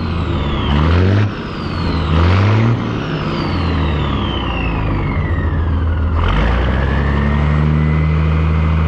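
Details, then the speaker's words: 1962 Peterbilt 351 with Caterpillar 1673 diesel after swapping to the correct Cat 1674 turbo and adding two stacks: catches and settles, then rises and falls smoothly through blips with deep steady stack note; healthy. "So you know what, I'm gonna do another startup on this thing because I can't wait to hear what it sounds like with both stacks."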